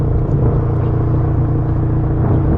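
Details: 2013 Scion FR-S with Greddy T518Z turbo kit at 6 psi, 93 octane, 264 whp: deep, steady, even exhaust rumble with a constant low drone and no knocks or miss; healthy, loud turbo exhaust under driving.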